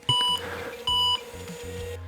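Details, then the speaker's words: IBM XT 5160 at power-up: a few short high beeps, no hard drive spin-up heard, drive sounds dead; 1701 hard disk controller error, probably because the hard drive isn't spinning. "Right 1701 is the hard drive error. I don't know what C stands for but it says controller number one error So I'm assuming that this is seen as a hard drive controller and is throwing up an error message Probably because the hard drive is not spinning."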